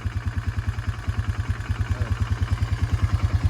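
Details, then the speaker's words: Honda Fourtrax 300 ATV just fitted with a new exhaust, at idle: steady knock about three per second over the low thump; owner suspects cam chain or cam chain tensioner, not confirmed, says it's not too bad. "Sounds like the cam chain or the cam chain tensioner. I'm not really sure right now. It's not real bad."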